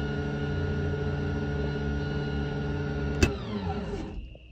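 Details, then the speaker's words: Lippert RV slide-out motor before repair: motor whirs at a steady, even pitch with no load and spins freely while the slide does not move; stripped gearbox gear. "i pushed the button and you could hear the motor spinning and nothing what happened here"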